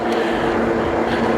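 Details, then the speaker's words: Puckipuppy Boxer ST fat-tire full-suspension e-bike riding after repair: constant droning hum with low tonal buzz from the fat tires rolling, motor barely audible; normal wheel noise, not motor. "I will say the wheels, just like any fat tire ebike, the wheels are a little loud. So, most of the noise that you're hearing, if you can hear it through my microphone, most of the noise that you're going to pick up or hear while you're riding is actually the wheels, not the motor."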